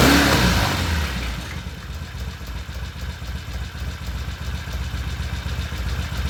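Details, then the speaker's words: 1974 Norton twin after carb bowls and pilot jets were cleaned, new fuel lines fitted and the battery charged: after the start a low, even thump of about four beats a second settles in; idles steadily and healthy. "oh that sounds good"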